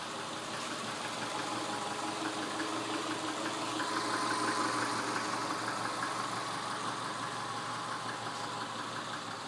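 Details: 1999 Subaru 2.5L EJ25 flat-four at 180K miles, idling: hollow, regular knock about three times a second, piston slap; engine being pulled for rebuild.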